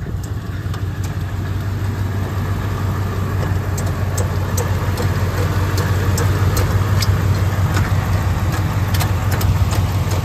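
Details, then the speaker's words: Freshly rebuilt 2002 Lincoln Navigator 5.4 4V V8 swapped into an F150, first start, idling slightly rough; quick sharp chirps about three a second as the jumping accessory belt shreds, debris caught in AC compressor clutch. "oh yeah it's the oh no the belt is shredding oh no oh no oh no oh damn it the belt was jumping and then it started to shred"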